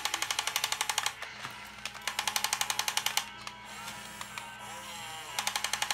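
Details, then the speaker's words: Top Race TR-113G 6-channel RC front loader lifting a bucket of light unpopped popcorn; bursts of sharp rapid ticking over a thin motor whine as the arm strains, gears clicking under load. "look at that all right click click click I go back a little bit and that popcorn is really light too it's almost like fiberglass"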